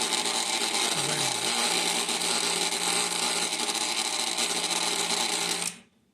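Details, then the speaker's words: Thermal Dynamics Cutmaster 52 plasma cutter, bought used, makes a loud harsh electrical buzz and rattling chatter when switched on, tested without air hooked up; it still cuts fine; contactor chatter. "So it cuts just fine. I'm not sure what that noise is. My other plasma cutter is not that noisy."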